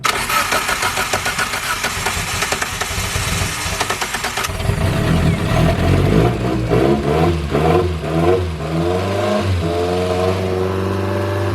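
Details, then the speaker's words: First start-up of a forged, turbocharged Toyota Starlet 4EFE (4EFTE build) from second-hand parts on Camry coils; brisk cranking, first cranks sounded low on compression then catches and revs cleanly, a bit of smoke, good compression. Normal start-up. "A bit of smoke, but I mean, it's a first startup. And it actually sounds like it's got good compression. For the first couple cranks, it sounded a little low, but it fixed itself straight away"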